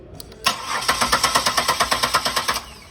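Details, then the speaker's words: 2000 Buick LeSabre cranked with both fuel injector fuses (16 and 21) pulled: starter churns evenly about two seconds and never catches; no start without injector signal. "So the car does not start with no injector signal."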